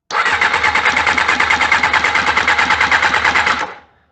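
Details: 1988 Honda CBR600 that sat for a long time cranks but won't start; a steady rapid clicking about three times a second comes from the fuel pump area when the bike is switched on, and the connections have been checked without finding a fault.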